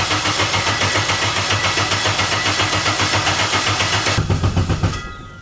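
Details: K24-swapped Nissan Cefiro, turbo build, first start attempt on a borrowed base tune with cam signal error: starter churns the engine in an even beat near 220 a minute but it never catches; ignition timing offset wrong.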